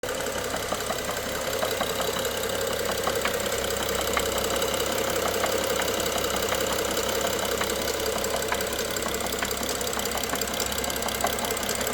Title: n55 bmw f07 engine knock part 2